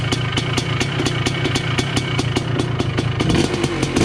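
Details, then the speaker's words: 1980 Honda CR250 Elsinore two-stroke, restored, first start in a decade, carb not yet dialed in: crisp even popping about four to five beats a second, steady, no knocking or rattle; engine running healthy. "Stupid me, but I don't know, fired up and sounds good, honestly. Sounds nice and healthy. Sounds good."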